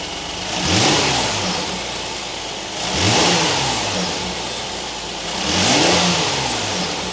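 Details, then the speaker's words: 2019 Kia Sorento 3.3 V6, after fixing a cold-start belt chirp/squeak: three smooth revs rising and falling cleanly, no chirp or squeal from the serpentine belt; the accessory drive sounds healthy and the noise is gone. "All right, that took care of our noise."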